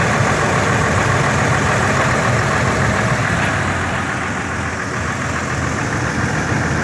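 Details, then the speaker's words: 1999 Ford F150 4.2L, codes P0174 and P0340, raw fuel smell: uneven lumpy idle with engine shaking, irregular stumble and soft exhaust pops and backfires; misfire caused by crossed spark plug wires. "That's a symptom that this truck is putting out there right now. This rough idle. Misfiring, backfiring."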